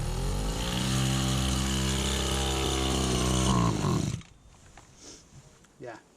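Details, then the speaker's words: 1991 Victa VS19 straight-shaft two-stroke strimmer after refitting the carburettor: steady buzzing note for four seconds that struggles rather than revving, then cuts out; bogs when throttle is pulled, owner suspects old throttle cable needs adjustment. "As soon as I pull the throttle lever, that's when it's bogging. Well, sounds like it's bogging."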